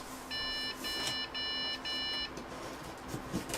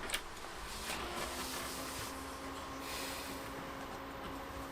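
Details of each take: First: Budget gaming PC at power-on: three short high beeps about half a second apart, then silence, monitor off; a POST error, owner suspects the GPU expects an 8-pin power connector but only a 6-pin cable is connected. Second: Budget PC with the RX 570 graphics card removed. A steady low fan hum, then one short clean POST beep, meaning it boots normally.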